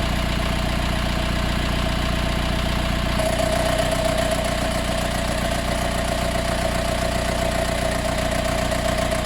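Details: Mercedes B180 CDI W245, warm restart after 15–45 minutes off: smooth idle, then about 30 seconds after start a steady buzzing rattle like an extra motor or fan joins and holds, disappearing after 1–2 minutes of driving; cause unknown.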